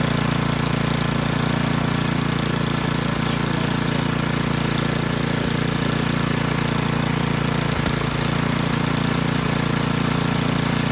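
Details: Old Toro 824 Power Throw snow blower, 8 hp Tecumseh-built single-cylinder engine, bought non-running, old gas drained and inline filter added: steady low drone at about three beats per second, no clear knock, running evenly after restarting.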